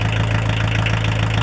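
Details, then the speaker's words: 1980s Kubota L345DT 4x4 34hp diesel tractor on off-road diesel, cold-blooded but started with a block heater in winter, warming up. Steady low chug with even beats and no misses, knocks or rattles: a normal idle. "Oh, I'll give it another minute or so to warm up. As you can hear, it sounds pretty decent, runs pretty decent."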